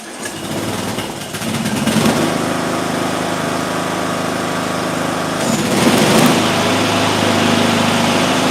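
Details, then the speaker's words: Small engine with ignition coil air gap at 0.040 in versus the recommended 0.010: fires right up, steady even buzz with brief throttle rise, no stumbling; hasn't started running rough. "Hasn't even started running rough or anything."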